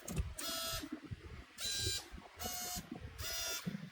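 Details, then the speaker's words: Capway wearable obstacle-detection cap for visually impaired users: left and right vibration motors inside the cap, run on extra battery power, tested; four short even buzzes with quiet gaps, switching cleanly; normal vibration motor buzz. "As you can hear, it is inside here, and the other one is at here, inside of the cap. I can't really show it right now but you can hear the vibration motors."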